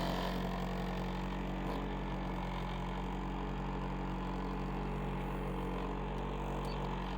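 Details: 1995 Honda Prelude Special Edition, fired up after sitting about an hour since it was last moved: a smooth, even, low idle hum at steady loudness with no knocks or ticks. Normal healthy idle.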